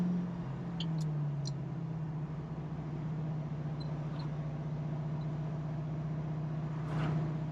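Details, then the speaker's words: 1968 Ford Mustang Fastback, 4-speed manual, in third gear with loud mufflers: deep, steady exhaust drone at one even pitch at light cruise with no misses, knocks or surging; running better than before. "Yeah, this sounds much better. It was running kind of like ah. He's got loud mufflers on here, so you're definitely gonna hear it."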